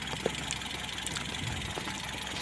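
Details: Mitsubishi Colt T120 petrol engine idling rough and uneven with scattered sharp ticks over a steady hiss; oil barely reaching the cylinder head, suspected from an unchanged oil filter or clogged oil pickup strainer in the sump.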